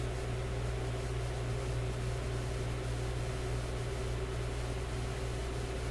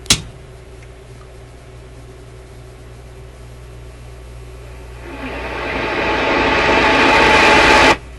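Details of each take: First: Grundig 2540 AM/FM/SW tube radio warming up during FM section troubleshooting: steady low hum with no clicking or crackling, after clicking thought to come from speaker wire lead touching a resistor; normal operation, no clicking. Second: Grundig 2540 AM/FM/SW tube radio FM section: hiss swells for a few seconds while warming up, then the sound drops away abruptly; FM audio cuts out after warm-up, with the ECC85 (6AQ8) FM tube suspected and a bad capacitor possible.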